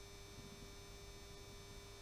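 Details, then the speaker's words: Model funicular railway running off a 16-year-old improvised controller: constant low electrical hum with steady buzz on top, unchanging throughout; the old controller's transformer humming. "so there you have it that's the funicular railway and the humming noise you can hear is this old controller which I've lashed up which is really annoying"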